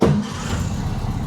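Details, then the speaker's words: 1961 VW Beetle after fitting adjustable pushrod tubes, hot restart with no throttle: catches at once and settles into a smooth, even, slightly fast idle with no knocks or misses; timing good and tuned, idle a bit high; normal idle. "Timing sounds good. Everything's tuned. I'd say right where she needs to live. I might drop the idle down just a little bit. It is a bit high."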